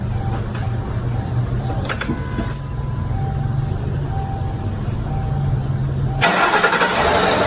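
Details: 2008 Mercury Grand Marquis V8 fired up right after spark plug replacement: quiet, then a short crank, catches promptly and settles into a steady low idle.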